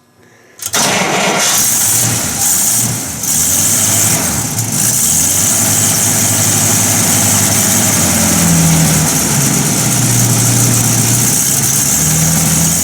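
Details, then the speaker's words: 1950 Buick Roadmaster just converted from positive to negative ground, generator and voltage regulator polarized with a jumper wire; starter catches and the engine settles into an even, steady idle, not running backwards, no misses or knocks; healthy. "well we are running uh not running backwards not doing anything strange"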